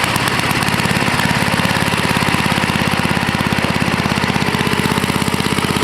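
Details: Toro 524 snowblower, Tecumseh H50 single-cylinder, after fixing a no-stay-running fault caused by a clogged gas cap: quick even beat holding steady speed, no surging or stumbling; running properly.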